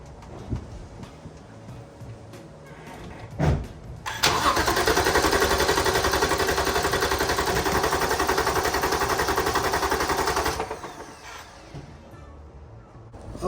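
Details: BMW E46 with N55 engine cranking on the starter for a compression test on cylinder 3 (spark plug removed, coils disconnected); even beat of nearly four per second for about six seconds, no catching; reads a solid 180, owner suspects an injector issue.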